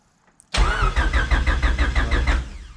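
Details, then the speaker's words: Honda Civic built to about 960 whp, with its rebuilt engine just reinstalled and no fuel in the injectors yet: starter spins the engine in a quick, even rhythm of compression pulses with no firing. Cranking is normal. "got crank so that's good"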